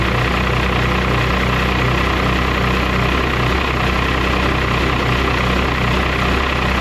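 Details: 12-valve Cummins diesel truck, cold, after fitting a Smeding 64.5/68 billet turbo in place of a 62/65: usual idle clatter at roughly two and a half beats a second, slightly uneven but holding; sounds fine.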